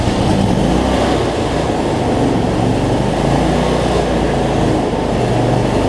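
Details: Cub Cadet zero-turn mower, Briggs V-twin, after adjusting a governor that let it race out of control and fixing rich running: steady, even drone at constant speed, no surging or hunting, no black smoke; battery not charging.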